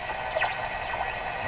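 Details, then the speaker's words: Canadian Spartan Model 5542 radio after replacing volume control output and AVC capacitors, tuned near the high end of the band: rising and falling whistly swooshes over steady hiss; unwanted swooshing noise. "swooshy sounds don't want those but that's swoosh"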